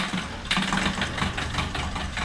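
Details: Diesel car whose noise grew after using a fuel additive and which later failed to start: uneven idle with sharp metallic rattles repeating irregularly over the low clatter; engine knock at idle, cause unknown.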